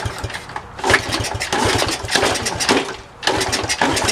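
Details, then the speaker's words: Honda CT70, restoration project, first start attempt after refuelling: uneven firing bursts that catch briefly, stumble and fade, no steady idle; hard starting and sputtering, later runs after a roll start. "It's so hard to hit. Alright, I'm going to roll start this thing."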